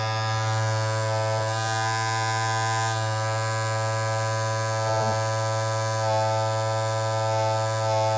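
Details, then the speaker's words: Andis Masters cordless clipper, blade just reinserted and pushed down, running at a steady low buzz with constant pitch and no rattle, at about normal out-of-box loudness. These clippers get super loud after months of use. "i mean that's kind of like where like when it comes out of the box it's about that loud"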